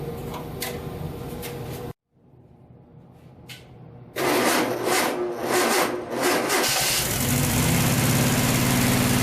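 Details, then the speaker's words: Vintage VW air-cooled flat-four from a 1956 Beetle barn find (not the original engine), unrun 23–24 years with mice nests, after carburetor work: brief crank, pause, then catches into even steady idle, no knocks or rattles; healthy. "running good yeah so there you have it can't believe it fired right up after 24 years of sitting in a barn these Volkswagen engines are just bulletproof"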